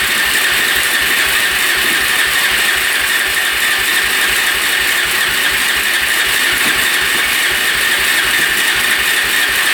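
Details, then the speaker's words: 2004 Suzuki LTZ400 quad that sat for 10 years, choke off, fuel on reserve. Fast, steady crank with a thin whine and no firing; it spins but won't start, and the owner suspects low compression. "t just spins almost sounds like low compression to me it's turning over pretty fast"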